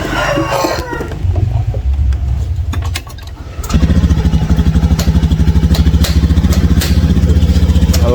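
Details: Honda Scoopy scooter with hesitation complaint despite new fuel filter, injector filter and fuel pump: uneven chugging about three pulses a second, stumbling and weak under throttle.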